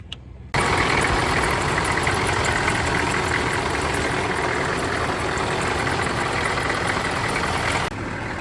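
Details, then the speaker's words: 1993 GMC Sierra C2500 6.5 turbo diesel idling right after Duramax fan and severe-duty fan clutch upgrade; light steady scraping hiss over diesel clatter, fan blades just rubbing shroud; may self-clear or shroud may need trimming. "Well, you can hear it rubbing a little bit. Just a smidge. That might self-clear itself here in a couple of uh couple of hours, minutes, whatever."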